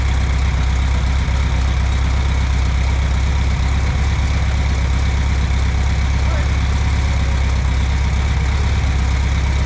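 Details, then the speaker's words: 1964 VW Beetle air-cooled flat-four, sitting 8–10 years, idling smoothly and evenly with a steady low beat, no misses or knocks, after the carburetor was cleaned; runs really well. "The engine runs really well, once we decided to clean the carb out."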